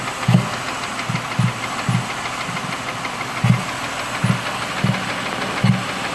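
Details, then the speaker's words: 2005 Mercury Mariner V6 idling after number 1 spark plug blew out and destroyed coil (replaced): slight top-end knock near cylinder 1 with random low intake pops every half second. "Don't know how well you can hear this popping over the loud knock that's over there"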